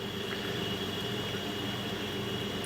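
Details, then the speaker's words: KitchenAid side-by-side refrigerator condenser fan after replacing the noisy motor and fan blade: steady even hum with a constant high tone and no knocking or ticking; running smoothly. "but there it is running nice and smooth not making the knocking noise and we're back in business"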